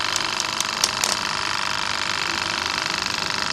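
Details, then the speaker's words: Wagner 435 7.8 hp diaphragm airless paint pump (F230 equivalent), brought in loud and leaking hydraulic oil, after internal hydraulics rebuild: fast even clatter about 3.5 strokes a second with steady hiss; pump healthy. "So I'm pretty happy to say now that this pump is fine."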